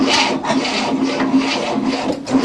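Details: 1967 Cadillac, not run in 30 years, new starter fitted, timing retarded: steady rasping crank about two strokes a second, no firing; turns over better but won't start.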